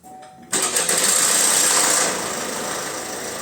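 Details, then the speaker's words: Opel Insignia B16DTH engine at 136,000 km, cold start: timing chain rattles briefly at startup then quiets; the clatter can now settle right away, while earlier starts kept rattling and got worse while running. "И вот сейчас вот это не трещит. Трескануло в начале и затихло потом. И есть у нас видео, когда она запустилась, начала трещать."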